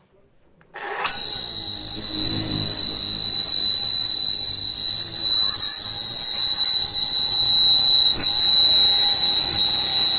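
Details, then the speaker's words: 1000 W foldable hair dryer switched on: a piercing steady whistle near 4 kHz, painfully loud. Attributed to a dry, rusty motor bearing squealing. "Problem इसने यह है कि यह जब इसे on करते हैं तो यह बहुत तेज आवाज करता है इतना तेज आवाज करता है कि लक्खन में आपको दर्द हो जाएगा"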